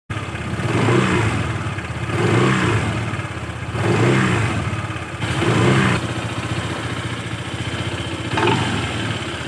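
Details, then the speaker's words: Honda PCX160 scooter CVT blipped at low throttle, with a choppy, rattling "klotok" clatter from worn roller-housing sliders. "seperti ada suara potong-potong seperti itu ya teman-teman pakai b160"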